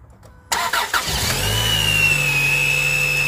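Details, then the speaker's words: 2003 Chrysler Sebring 2.4L right after replacing alternator and power steering belts and tensioner pulley: engine catches, then a steady high-pitched whistle holds over idle from the belt area; cause not identified, later went away on its own. "well the belts are staying on but jesus christ that's whistling what is that i don't know sounds like it's coming definitely coming from over here"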